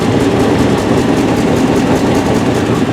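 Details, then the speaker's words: 1988 GMC 1500 V8, idling through glasspacks with no catalytic converters; they were fitted because the muffler kept falling off. Loud, raspy, barely muffled burble at a steady idle. "he had glass packs put on this truck because the muffler kept falling off and they said they he had to have some type of muffler"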